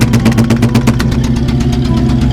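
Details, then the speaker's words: Early Ford Bronco with a 351W V8 at idle, exhaust paper test: uneven, lumpy idle with irregular exhaust puffs, and one bank sucks the paper in; owner suspected the exhaust valve, but one cylinder misfires from a failed pushrod. "Yeah, something seriously is going on here. And I suspect the exhaust valve."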